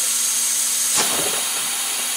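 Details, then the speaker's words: Volkswagen Passat intake boost leak test after intake boot came off, pressurised with shop air at about 10 psi: steady airy hiss venting only at the blow-off valve, no other leaks; normal boost leak test. "so we don't have any Le Le at least none that I can and I can hold this down there pretty hard and I don't hear nothing leaking so we're good there"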